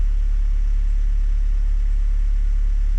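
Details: 2016 Ford Transit Connect 1.5 TDCi (DV5) diesel after top-end rebuild from snapped timing belt and repair of a chafed smart-charge sensor wire: steady, even idle with smooth low throb, no knocks or rattles, battery light gone; normal idle.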